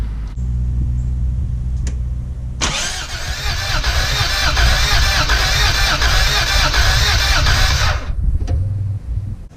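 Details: 1989 Toyota FJ62 inline six, 291k miles, parked 10 years, plug wires off, compression test while cranking for oil pressure: starter spins engine at even four beats a second; cylinder two reaches 130 psi in eight hits.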